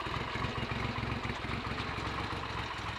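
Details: Triumph Trident T150V triple, owned since 1982, started after standing over two years with points, plugs and carburetors untouched; a steady, even triple beat at idle with no misses, knocks or clatter, running cleanly.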